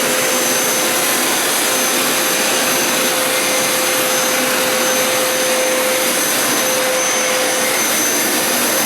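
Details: Hoover Elite Power Scrub carpet cleaner used as vacuum to suck up cleaning solution residue after deep clean wash cycle: steady loud suction roar with constant high whine, no surging or rattles; pulling normally.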